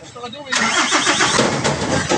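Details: After the starter motor's stuck brushes were freed and the starter reassembled, the engine catches at once and settles into a smooth run with no grinding or repeated cranking. The starter is working normally.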